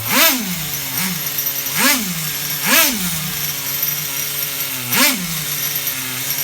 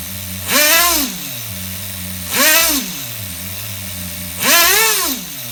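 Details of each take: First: HPI RS4 Nitro F150 nitro engine being bench tuned, buzzing at idle. Quick throttle blips snap but stay revved up for a second before falling back, because the low-speed needle (bottom end) is still rich. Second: HPI RS4 Nitro F150 RC engine bench tuned with no airflow, after lowering the idle screw: steady buzzing idle, blipped three times, a clean single-stage drop each time. The idle creeps up afterward, so it is still rich up top.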